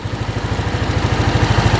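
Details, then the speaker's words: Free scooter after valve adjustment and carb clean, where a pinched diaphragm kept the slide from rising; idles with quick, even pulses, steady, no knocking or engine noise; healthy smooth idle, revs out well. "Wow. This free machine is running awesome."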